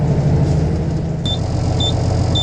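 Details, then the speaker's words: Truck cab with the diesel running: three short high beeps about half a second apart over a deep diesel rumble. This is the low air pressure warning while the air system builds pressure, which finishes shortly. "all righty you can hear the beep beep beep Air's uh airing up should be done in a second"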